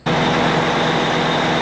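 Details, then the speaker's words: Tractor with a bad starter, started by wedging the key and hitting the starter with a hammer: it catches and settles into a steady, even diesel run with a low firm rumble and no knocks; normal running. "hear that? That's the sound of an engine."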